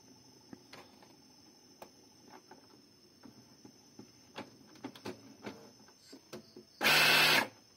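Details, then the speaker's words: Epson L5190/L5290 printer showing error 00041 "non-printing features available", heard at power-on: irregular clicks and ticks, then a harsh half-second grinding burst from the scanner mechanism; gears seem to slip or fail to mesh, cause suspected, not confirmed. "Yun. So yun yung tunog na yun. Parang parang yung gear hindi nagsasalubong."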